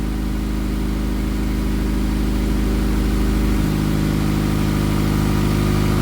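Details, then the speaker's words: Honda Accord after a misfire repair, first start-up after reinstalling the cylinder head. The exhaust is not yet welded, so it is loud and raw, but the idle is steady and even with no miss or stumble, and the tone settles lower midway. Normal, healthy idle. "I mean, it runs phenomenal. It's going to run excellent when I get done and finish weld the exhaust and all that fancy stuff."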